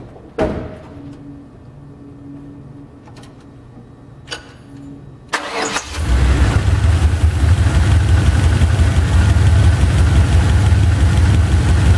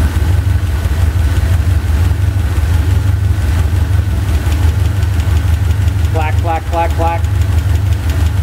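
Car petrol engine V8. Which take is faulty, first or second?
second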